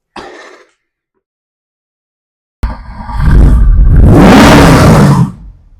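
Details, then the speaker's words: Triumph TR7 V8 after propshaft repair, started and revved out of the pit: strong deep even roar dropping back cleanly; normal healthy revving. "there we go I think it has got the V8 in it it certainly likes that"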